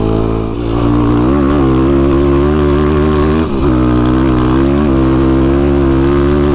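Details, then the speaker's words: YFZ ATV on a tuned Vortex ECU, pulling through rough ground up to fifth gear: a smooth rising and falling single-cylinder drone with no stutters, popping or cut-outs. Power is linear; only an occasional small backfire, possibly slightly rich. "That is YFC power right there. That's very linear, very straight."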